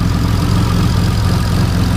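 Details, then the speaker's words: Turbo 7th-gen Honda Accord J-series on E85 with a newly fitted Acura TL LSD transmission, warming up in the cool high 40s–low 50s °F: deep, steady idle with only light even injector ticking, no exhaust leak; normal. "I don't hear any exhaust leaks. Literally all I hear, you guys, is injector. That's it."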